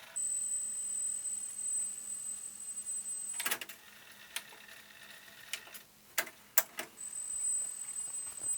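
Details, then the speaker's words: Yamaha KX 580 cassette deck before belt service, 8 kHz side of test tape: steady, clean high tone before and after handling clatter; plays properly, earlier noise suspected from damaged test cassette; likely needs only new belt and quick service. "the 8 kilohertz sounds much better. It's going straight through my head."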